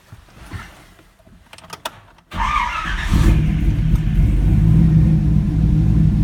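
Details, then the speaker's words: 2004 Chevy Colorado with a swapped 5.3L V8 and Texas Speed stage 4 cam (223/226, .600/.600, 111 LSA), warm, after retuning airflow, timing and idle (~925): starts and settles into a steady, choppy lope, no longer stalling, trims -4/-3. "I set it to idle around 9:25 the long-term trims around minus four minus three is on that the white band there it's not stalling anymore"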